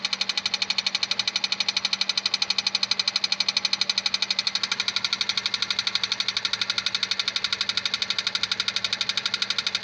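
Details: 2001 Honda Civic 1.7 automatic at idle: a sharp, even knock about three times a second that never misses a beat. Internal engine knock, cause unknown.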